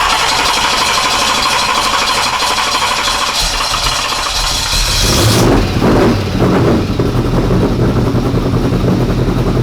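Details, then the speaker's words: 1992 Ford F150 prerunner V8 after regulator fix, untuned: hard revving, then an uneven idle that surges and stumbles; still rough, suspected fouled plugs from running too rich earlier, unconfirmed. "so the plugs are probably still got to get cleaned up a bit after we ran it so rich or probably like kind of fouled out"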